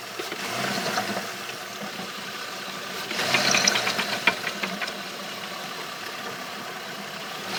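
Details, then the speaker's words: Trailblazer with a bad water pump, idling: an irregular clunk and a rattling burst mid-clip over the steady idle. The cause can't be pinned down by ear; it is suspected, not confirmed. "you can get it to clunk again."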